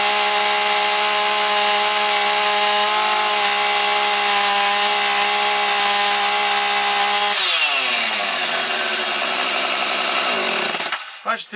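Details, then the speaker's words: Husqvarna 445 chainsaw: a steady high-pitched scream held evenly at full revs, then a smooth drop as the throttle closes before shutoff. It runs healthy, though the owner may still check the carburetor. "все тримає все чітко все гарно так що Супер"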